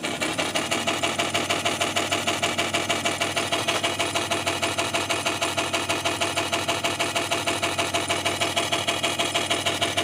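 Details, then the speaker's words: Sony TC-252D stereo reel-to-reel tape deck in play mode: quick, even ticking about twice a second over a busy rattle, continuing after stop is pressed; drive belt slightly loose, some play felt, source of the noise unclear. "what I'm what I hear is when I turn it on the stop is something keeps going and making that noise and maybe I can tell then what it is"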